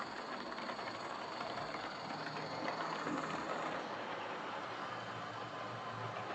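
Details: Old Lima Class 31 model locomotive in freight livery after overhaul with an extra pickup added on the front bogie, running on the layout: light, even whir with steady gear ticking at constant speed, no pickup issues; normal running.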